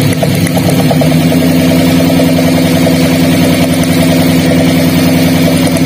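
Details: Daihatsu Gran Max with a limping, low-power engine at idle: lifting the cylinder 4 coil gives no spark sound while cylinder 3 sparks. Uneven, limping idle stumbling every few beats, a misfire from a dead ignition coil.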